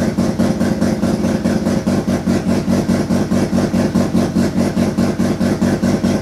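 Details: Turbo II FB RX7 rotary engine on its first real run, after leading/trailing coil checks; loud pulsing exhaust with a slightly uneven throb around two beats a second, unsettled, smoking out the garage. Rough running.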